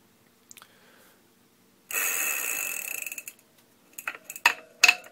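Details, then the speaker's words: Stock cassette/freewheel from a 36V Tidalforce S-750 electric bike hub motor kit, spun by hand after a Shimano replacement sounded quiet. Extremely loud, harsh rattly ratcheting buzz; freewheel bearings probably as bad as they can get (suspected). "now listen to the one that comes stock it's Extremely Loud and the bearings probably are about as bad as they can"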